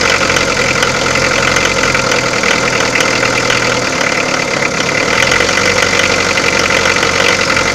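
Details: Peugeot diesel engine idling, overhauled: busy, clattery mechanical noise with faint irregular ticks over a steady run; abnormal engine noise at idle, source not pinned down.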